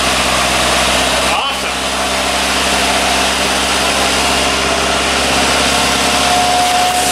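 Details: Triumph TR3, about 60 years old, cold start out of storage after priming the float bowls, choke on, in neutral: catches and holds a steady, fairly high choke idle with an even beat and no misfire or knock. Normal cold start.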